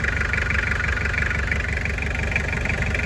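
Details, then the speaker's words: Toyota 2L diesel van at idle after replacing one cylinder's connecting rod bearings suspected of causing knocking: even low rumble and steady clatter, no rod knock. Normal diesel idle after repair. "ประมาณนี้นะครับเสียงมันน่าจะเงียบสุดได้เท่านี้หรือเปล่าผมไม่แน่ใจเพราะว่าเสียงไมตี้มันก็จะเป็นเอกลักษณ์เสียงเครื่องไมตี้2Lประมาณนี้หรือเปล่าครับพี่น้อง"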